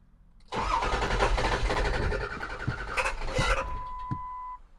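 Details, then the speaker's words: 2002 Ford F-250 7.3 Power Stroke diesel with rough idle: cranks roughly about three seconds without catching, then a steady electronic tone; hard starting, long crank, owner suspects faulty ICP sensor, IDM also considered. "that's not good either so it's not really wanting to crank"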